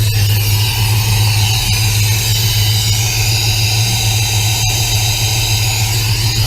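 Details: 1966 Plymouth Belvedere 440 Mopar V8, first start after FiTech EFI install with idle set at 800: loud, steady, fast idle with a deep even rumble that never settles; idling high.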